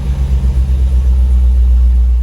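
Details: Long-sitting Land Rover Discovery, possibly with bad gas, restarted with condensation coming from the exhaust: a smooth, deep, even rumble with no ticking, knocking or stumbling. Normal idle before codes are read.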